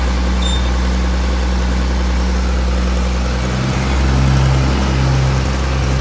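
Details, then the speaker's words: 1959-1960 Allis Chalmers D17 Series 1 tractor after fuel pump installation, with suspected low compression: low idle with an uneven beat and occasional dropped strokes; missing a little, cause unknown. "Missing a little bit. We're gonna run it around, see if it clears up."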